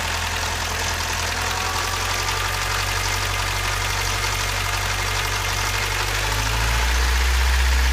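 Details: Toyota 22RE, just after timing chain replacement: fast, steady metallic top-end clatter over the idle, about four taps a second, loud like a tractor; valve train clatter, cause not yet found.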